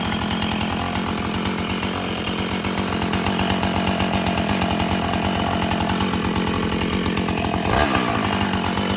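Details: Husqvarna 445 chainsaw that had bogged when throttled, after cleaning and tune-up: a crisp, even two-stroke buzz holds a steady pitch without surging or bogging; it runs clean and healthy, though the carburetor diaphragm may need later adjustment.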